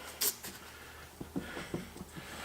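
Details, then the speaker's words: 2009 Mini Cooper Clubman, raised rear driver's side wheel rocked by hand after a test drive suggested a bad bearing: soft quick knocks about five a second, lots of wiggle; worn wheel bearing play. "to find out if the wheel bearing is bad is should if it Wiggles at all and I don't know if you can see that but it's got quite a bit of wiggle in it"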